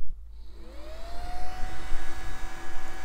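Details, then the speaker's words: Early-to-mid-2000s desktop PC fan powered on the bench after a capacitor replacement: a rising whir settles into a steady hum with rough blade noise and little bearing noise. Owner suspects the fan is off balance from dust. "okay well there's not too much noise out of the bearing just a lot of Blade noise I wonder if it's just off balance from the dust"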